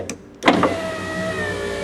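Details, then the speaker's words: 1994 Ford F150 door after window motor replacement: steady electric motor whir with faint scraping as glass travels, smoother than before after lubricating; owner suspects the large gear driven by the motor makes the noise, window track was sticking. "a big I don't know what you call it sprocket or gear that that runs off of the motor right there and I think it's it's that's what's making that noise"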